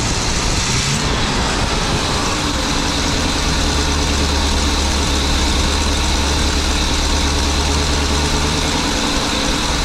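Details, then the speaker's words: 23-foot Birchaven motorhome V8, Quadrajet carb, after 12 years stored, warming up, oil pressure good, less smoke, coolant leak owner suspects from heater hoses: steady, even low idle rumble, no knocks, misses or hunting; sounded pretty good, normal idle. "Sounded pretty good."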